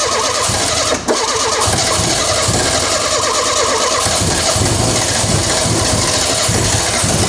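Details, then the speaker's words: Renault 5 GT Turbo, first start in 5 years with fuel pump powered directly: ragged uneven idle with loud hiss; running rough, HT lead order suspected. "It sounds a bit unhappy, doesn't it? Still very unhappy about something. It's relatively unhappy, I would say."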